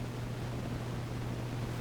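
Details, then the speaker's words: National HRO tube receiver after 2nd and 3rd IF transformer alignment, other microphones off: steady low rumble with soft even hiss and constant hum, no crackle or dropouts; normal receiver background noise. "there you are so that kind of rumbly hissy stuff is the radio itself"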